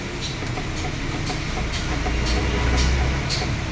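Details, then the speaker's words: 1997 Honda Civic with a reported suspension clunk: sharp knocks about twice a second as the stabilizer bar is pulled by hand; worn stabilizer link joint, to be replaced. "Yan positive mga ka-bx. Papalitan natin stabilizer link."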